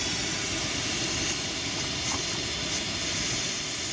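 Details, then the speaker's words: HVAC system whose burnt-out compressor blew a terminal pin, being charged with nitrogen for an acid test: loud steady high-pitched hiss of gas rushing out fast through the blown compressor pin. "You know, it's leaking out of there so fast, I don't even know if I'll be able to do it from there, but you hear it coming out of there pretty damn quick."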